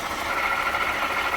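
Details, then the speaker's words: 2018 Jeep Grand Cherokee 3.6, customer complaint of underhood whirring; at idle a steady dry whirring hum over the engine, traced by long-screwdriver stethoscope to the water pump, which was then replaced; worn water pump. "All right, you hear that whirring? That's the water pump. So how did I figure out that it's the water pump? I use this long screwdriver."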